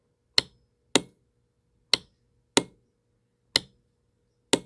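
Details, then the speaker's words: Honda Fourtrax 300 ATV, no start no crank, on booster cables: six sharp single clicks about once a second with no cranking; owner suspects a bad solenoid, to be tested with a multimeter. "it's not doing nothing except it clicks that noise indicates you got a bad ceiling right here"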